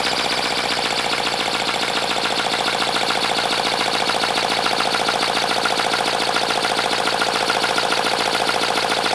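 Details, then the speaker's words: 3D-printed 412cc V8, about 50cc per cylinder, high friction, second run before any oil added: fast harsh hissing chuff with rattly edge; owner suspects lack of lubrication but unsure, then pours 5W-30 into intake manifold. "All right, it definitely sounds like something needs to be lubricated, maybe. I am not sure."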